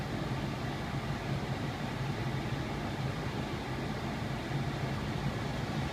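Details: 2001 Lexus RX 300 air conditioning blower, previously grinding, clicking and rattling: steady, even blower hum with no grinding, rattling or clicking; normal blower operation.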